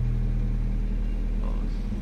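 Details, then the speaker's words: Honda Civic VTi VTEC manual, after idle adjustment, AC off, in neutral after revving: smooth even low rumble, no knocks or misses; idle normal coming down. "O, neutral mo. O, di smooth. O, normal lang yan, pagbaba."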